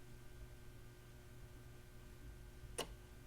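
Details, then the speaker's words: Panasonic RC-6030 flip clock (circa 1976-80) after restoration with cleaned tiles and parts from other clocks: quiet room hum, then one soft sharp click as a tile flips, audible only nearby; normal flip clock operation. "Yes, you can hear the clock flip, but not across the room."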